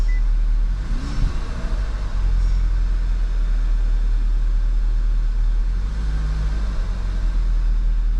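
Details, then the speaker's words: 2011 VW GTI towed in misfiring, smelling of fuel, after swapping coils and plugs between cylinders 1 and 4: steady even idle, unbroken low rumble, no skips; running smoothly, possibly intermittent fault, injector or dying coil suspected. "Okay, I'm gonna have to do a little research and see why it's running fine all of a sudden."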